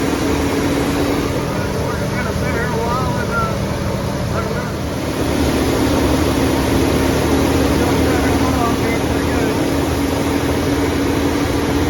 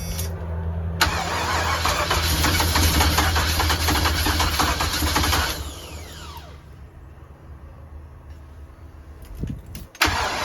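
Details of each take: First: 1988 big-block 454 V8 in a 35-year-old RV, running on a 27° morning during cam break-in. A steady, smooth raised-rpm drone with no knocks or misses. Normal fast idle, though break-in was cut short by overheating and the owner suspects a bad radiator. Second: 454 big-block V8 RV, first start after primed fuel pump and fitted plug wires and vacuum lines, on a cold 27° day. Labored cranking catches into a rough, uneven run, dies and is recranked; ignition timing too far advanced.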